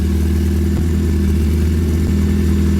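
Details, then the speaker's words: Hyundai Veloster after water pump O-ring replacement, running on used oil: a loud, deep, boomy droning idle from a muffler left loose and not yet tied up. The middle motor mount is missing, so the engine rocks side to side; no leaks seen. "Sounds like that because the muffler is loose. I didn't want to tie it up until I make sure that everything is good."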